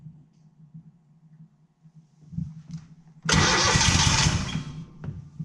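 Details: Kohler Command CH20 20 hp twin in a Walker GHS mower, first start after budget rebuild, oil in muffler expected to smoke: quiet cranking, then twin catches into a loud, steady run; starts cleanly and healthy.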